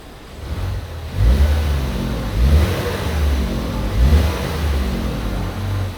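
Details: 2016 Ford Fusion rental with code P0088, high-pressure fuel pump failure: engine revving in surges with a deep, rough buzzing vibration heard from the back.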